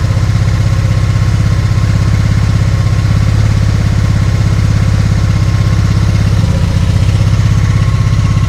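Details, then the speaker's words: 1996 Honda Magna 750 that sat for about four years, cold and just revived. Deep, rapid idle pulses wobble in beat and level, and it can't hold idle on its own. Carb is leaking fuel; owner suspects it needs a throttle/idle screw adjustment. "That's pretty good. But if I don't touch it, I think it just... so close. It's almost like it just needs a slight adjustment."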